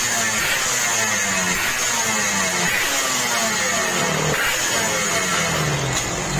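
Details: Yamaha RX King two-stroke, owner's complaint that power is fine but the engine rattles: busy revving with a dry metallic rattle riding over the exhaust note; piston slap from excessive piston clearance.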